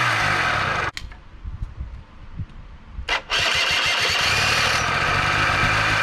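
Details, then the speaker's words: Honda Spree two-stroke scooter (probably 1984 engine, 1987 frame) after starter and bendix replacement fixed hard cranking: buzzy running, cuts out abruptly, sputters and coughs through restart, catches again; carb not getting fuel suspected; engine stalls at idle. "hey uh well fix the starting now we just got a carb not getting fuel problem so go ahead and work on that next"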